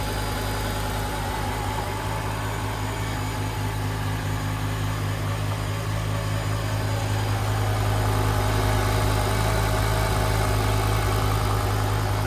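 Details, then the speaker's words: BMW E60 M5 V10 after rod bearing replacement, idling with the belt off so the power steering pump is not spinning: steady, even idle with a smooth low hum and no knocking or ticking; bottom end sounds healthy. "Sounds good. Took that belt off, so it's not spinning the power steering."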